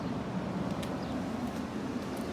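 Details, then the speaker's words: 1980s GE Thinline window air conditioner, before restoration, in fan-only mode on low: soft, steady rush of air over a low, even hum with no rattles or scraping; runs quietly and normally. "first of all we'll just start on the fan fan mode okay let's start on low fan air is coming out"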